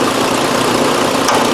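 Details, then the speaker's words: 2001 Nissan Frontier 3.3 V6 with check-engine light and code P0302: lumpy, uneven idle under a steady hum. Plug-wire cut-out testing confirms number two is the misfiring cylinder. "alright number two is definitely our blending cylinder right"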